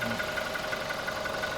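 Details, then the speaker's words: 2020 Toyota Hilux Revo single cab, manual gearbox, diesel, ex-lease, about 217,000 km on the odometer: steady idle with even, light clatter at a constant rate and no uneven knock. Engine sounds normal and healthy. "แล้วก็คันสุดท้ายคันนี้เลขไมค์200,00017,000กม.นะสำหรับคันนี้คันนี้ปกติเสียงดีนี่นะ"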